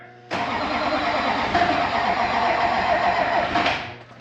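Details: LB7 Duramax diesel after injector replacement with a used set: steady starter cranking about four compressions a second for over three seconds, never catches; lack of fuel, air in the fuel system; long crank, no start.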